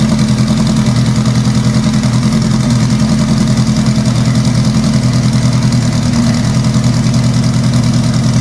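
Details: Scarlet, four-cylinder, first start after sequential transmission install, sat about two months in cold weather: lumpy idle, stumbling exhaust beat with one pulse dropping out each cycle; dead cylinder, owner suspects injectors rusted shut from sitting.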